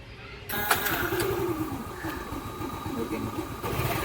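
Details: Yamaha Ray scooter with late-starting complaint, after replacing the fouled spark plug and pressing the plug cap fully on: fires promptly after a short crank and settles into a steady, even idle; normal start and idle.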